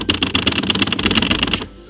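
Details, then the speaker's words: BMW E36 M3 track project with very stiff suspension: sagging glove box (common E36 problem, should sit flush) rattles loudly over every bump, a dense fast plastic clatter lasting about a second and a half inside the cabin. "that E36 glove box sag so this thing rattles like crazy hear that well this car's suspension is insanely stiff and this fun little thing anytime you hit a bump that's what you get it's fantastic"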